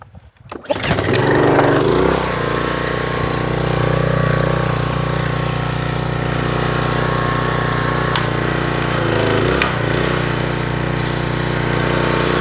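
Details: Troy-Bilt pressure washer engine brought in with run issues, test run with water on: a short pull, then it catches and settles into a steady, even buzzing idle with no stumbling; running properly.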